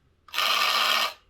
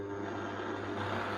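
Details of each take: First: Hornby Class 142 Pacer model railcar: harsh high-pitched rasping buzz during a brief run, far coarser than the identical second car; noise stayed with this unit after its motor bogie was swapped, worn worm gear grinding. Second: Hornby Class 142 Pacer two-car diesel model railcar after fixing its noise and wheel wobble (loose tyre) issues: smooth, steady low motor hum with light rail clicks while rolling on the layout; runs quietly and evenly.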